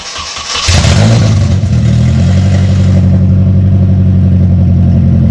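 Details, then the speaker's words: 1974 Datsun 620 truck with KA24DE swap from a 1997 Nissan 240SX, before the new exhaust: cranks and catches, then a deep, harsh, very loud unmuffled drone at fast idle. Excessively loud straight-piped exhaust. "The biggest downside is that it is horrendously loud currently. Go ahead and start it up so we can hear how horribly loud it is."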